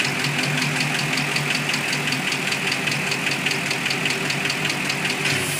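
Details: 2006 Mustang GT V8 at idle: sharp, regular ticking, located with a stethoscope on the passenger side, from a bad roller cam follower whose roller bearings failed and wore a passenger-side cam lobe almost round; fixed by replacing cams and valvetrain.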